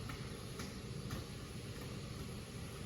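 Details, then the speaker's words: 2010 Buick LaCrosse, no-crank/no-start; the starter drones and turns the engine slowly with faint pulses. Battery drops to 9 V, current peaks above 600 A and averages about 460 A. Suspected mechanical resistance in the engine, not electrical. "but then it started cranking pretty slow and right here our average cranking was around 460 amps and then it kind of shot up again"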